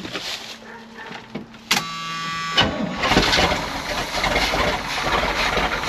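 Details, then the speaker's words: 1979 Chevrolet C20, 454 big block, sat about 13 years, revival start: catches after short crank into uneven, lumpy idle with irregular stumble, cutting in and out; one cylinder not firing, cause not confirmed. "starting to come around got one cylinder that's not firing but sometimes she's running though"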